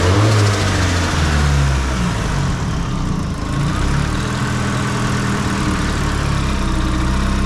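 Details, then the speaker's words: Nissan S15 SR20 with Garrett T28 turbo after turbo gasket replacement and plate locks, fixing exhaust/boost leak: strong even idle rising and falling smoothly with revs, no puffing or ticking; healthy. "Finally, no more exhaust leak. So, I'm normal again, chill, quiet."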